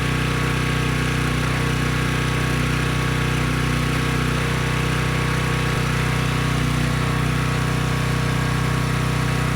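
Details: Briggs & Stratton Storm Responder generator after cleaning a dirty carb, running on a test tank under a 3000 W load: steady drone at constant pitch with no misses, hunting or surging; normal running under load.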